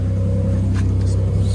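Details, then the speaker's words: Older car at a dealer auction, just started, odometer not reading: deep, loud idle rumble with a steady low throb and nothing muffling it; the exhaust is louder than it should be. "Good, she started right up. Exhaust is obviously loud, you can hear that."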